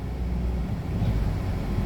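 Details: 2011 Audi A4 no-start: once the fuel pump is given power, the engine fires and keeps running with a steady low rumble and no misses; the pump is now powered, normal running.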